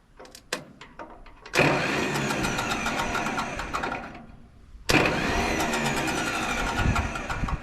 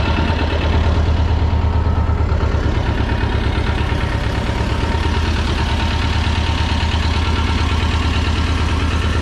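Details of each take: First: Belarus 250AS diesel tractor, about 1985, sitting 8–10 years, cranked with decompression valve up and throttle wide open: two long stretches of steady churning starter cranking, never firing, no smoke; fuel not reaching the injectors, no start. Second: 1985 USSR-built Belarus 250AS diesel tractor, sat unused about 8–10 years, revived after fuel-system and injection-pump timing work: steady low diesel chug at an even beat, no knocks or misses, settling into a smooth idle; normal running.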